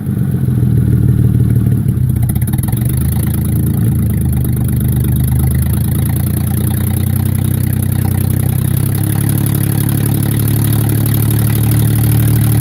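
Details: Mercedes E-Class W210 E240 V6 petrol, 116k miles, running with no exhaust: an uneven, stumbling idle of about three pulses a second that drops and catches irregularly. The engine is misfiring.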